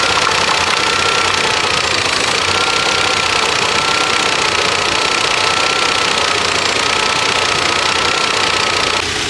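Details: Volvo engine during a BG performance engine treatment with oil and treatment added: fast, light ticking of about four per second, uneven in rhythm, over a busy idle; top-end tick, cause undetermined.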